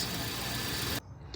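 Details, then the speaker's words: 1999–2006 GM GMT800 (Silverado/Sierra/Yukon/Tahoe/Suburban) V8 idling with the fast, sharp GM exhaust tick. Exhaust leaks where exhaust manifold bolts broke off from repeated heating and cooling. "You got a 99 to 06 with the GM exhaust tick?"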